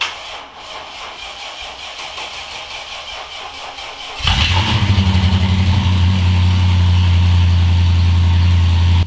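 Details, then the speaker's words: Mercedes E55 engine, very first start after a rebuild and AEM FIC adjustment: several seconds of cranking, then it catches with an uneven, lumpy rhythm before settling to a steadier idle; rough start, which the owner blames on air in the fuel lines. "the first card off ganyan does definitely take a while like it's not a perfect smooth start just like when you usually talk your cards up because there's air in the fuel lines and all of their things so that's why it's definitely a rough start"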